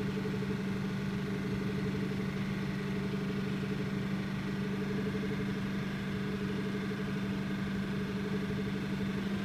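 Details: 2008 Ford F-250 5.4L 3V V8 idling, recorded sitting in the cab: steady idle with a faint, uneven rapid tick riding over it; abnormal engine noise, cause not clear.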